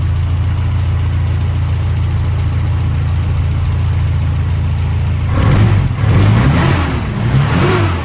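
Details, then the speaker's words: Toyota 4K engine after tune-up and valve clearance adjustment that cured ticking from the head, carb also retuned: steady, even idle with no top-end tapping, then a couple of clean blips; normal idle. "Kung maririnig niyo nga guys eh wala ng lagitake ang head nitong ating si Cambyo King. Ayan nga okay na okay na ang ating makina."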